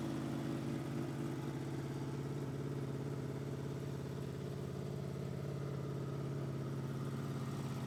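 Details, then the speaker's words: 2005 Honda VFR800 V4 with gutted exhaust, idling just after a cold start after 10 days outside in snow without a battery charger: even rumble at about three or four pulses a second, no hunting; healthy cold idle. "She starts right away, and you can hear the lovely rumble from the V4 engine and the gutted exhaust."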